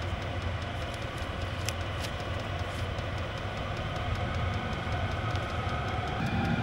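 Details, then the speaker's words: Chinese diesel garage heater after fuel line fixes for E08/E10 fuel error codes, a minute or two after start: steady fan rush on high with fast, even pump ticking about four per second, exhaust clear with no smoke; running healthy. "it's ramped up uh fans on high pumps pumping fast the exhaust is clear no uh no smoke whatsoever and it's looking good"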